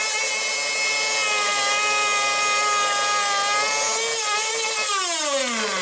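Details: Hangkai 6.0 two-stroke outboard, 2020, two seasons' use, test start after replacing a broken reed petal that caused sneezing into the carburettor and no start; high steady buzz holds, pitch drops smoothly when throttled back; normal running.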